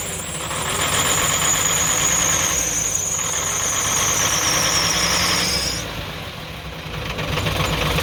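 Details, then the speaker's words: UD CK450 truck, Nissan PF6 six-cylinder diesel that suddenly began misfiring and stalling under load: uneven, lumpy beat around four pulses a second under a high whistle, dipping mid-run; misfire from pump plunger No. 5 delivering no diesel, one cylinder dead. "तो जब 5 number plunger की तरफ से डीज़ल नहीं आएगा तो आप समझ जाएं जो ये 6 सिलेंडर इंजन है, 6 सिलेंडर में से एक सिलेंडर काम नहीं कर रहा, 5 सिलेंडर काम कर रहे हैं।"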